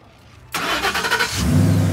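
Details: 2012 Ford F150 FX4 that cranked but wouldn't start, after replacing fuse 27 for the fuel pump relay: quiet, then short crank, engine catches cleanly within a second and settles into a steady even run; normal start.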